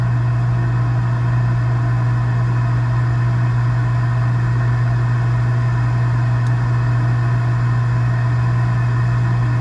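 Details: Gas package unit, newly replaced draft inducer motor (old one was extremely loud, like a lawnmower), during heat call while burner failed to light: steady low electric hum with soft airy whoosh, no rattle, scrape or wobble; healthy inducer.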